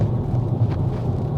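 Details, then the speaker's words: Range Rover L322 with BMW M62 V8 and ZF 5-speed automatic, driven gently after gearbox work: steady low rumble with none of the earlier buzzing hum, gearbox smooth and no longer slipping, normal drive with no transmission hum. "So on first impressions it feels extremely smooth, and actually I'm yet to hear that weird buzzing humming noise that I had before."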